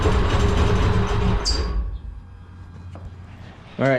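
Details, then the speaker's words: 2004 Mustang Mach 1 with 60,000 miles, mass airflow sensor unplugged: lumpy, stumbling rough running that falters and dies within two seconds; it seemed to start perfectly once the intake was refitted. "i think it doesn't work without a masterful sensor even though some cars have like a default when you unplug it to be working without it"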